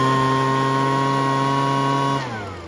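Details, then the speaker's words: Weed Eater BV1650 two-stroke blower vac after Walbro carb kit, screw retuned, air filter and cover refitted: high steady buzz at speed, smooth wind-down at shutoff; running well. "so I got it tuned I put the air filter and cover back on and uh it's actually run pretty good"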